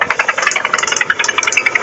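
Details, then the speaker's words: 2012 Hyundai Sonata Hybrid after a short road trip: quick, uneven, high-pitched light ticking and rattling over the engine near idle; source unclear, tow truck driver suggested a bearing, owner mentions timing belt area. "the tow truck guy said it's probably the bearings or a bearing"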